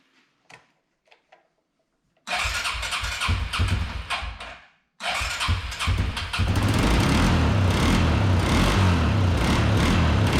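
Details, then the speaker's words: Arctic Cat 300 ATV, unstarted for 15 years, after carburetor rebuild, fuel tank cleaning, new battery, voltage regulator, oil change, tune-up and reconnecting the ignition coil: engine catches after cranking with choke and settles into a steady, slightly lumpy cold idle. "wow it almost idled too so i mean wow guys it runs so now i'm just gonna have to let it get warmed up and probably get some more fuel"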